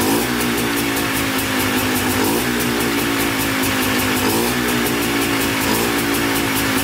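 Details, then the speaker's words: Polaris Trailblazer 250 two-stroke quad, first start on choke after cheap eBay top-end kit, new air filter and carb rebuild, break-in throttle blips: crisp, even buzz picking up cleanly and settling without stumbling; stays running, sounds good. "all right started right up sounds pretty good um actually stays running so that's good"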